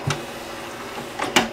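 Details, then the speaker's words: Original Xbox DVD-ROM drive after drive belt replacement fixing the eject click of death: sharp click, brief mechanical travel, double clunk as the tray ejects cleanly. "ejected perfectly fine now first time every time"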